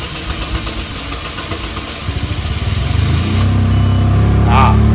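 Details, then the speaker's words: $500 2004 Chevrolet Malibu Classic with hard starting, settling into an uneven, loping idle that stumbles about four times a second; owner says it's not running on 1 or 4 cylinders and stalls when given gas, a misfire. "This thing doesn't really idle. You can hear that kind of lopey cam. Well, it's not a cam. It's not running on 1 or 4 cylinders."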